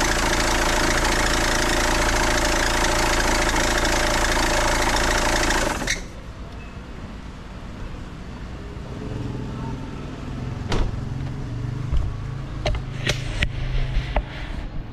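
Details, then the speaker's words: 2008 BMW 520d E60 diesel, cold start after resting hours, despite new belts, tensioner, pulley and alternator bearing: loud shrill drive belt squeal over idle, fading after about six seconds; usually gone after 10-15 minutes driving. "but still I I'm getting this squeaking or squealing sound whenever it's cold for it's been resting for a few hours"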